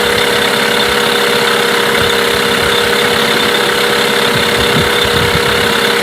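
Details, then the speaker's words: Mercury 8HP outboard, bought used after sitting unknown time, first start test running in a water tub after carb cleaner; steady even buzzing idle over water splash, no knocks or misses; running cleanly, normal idle. "wow not bad at all quite impressed to be honest I didn't expect it to"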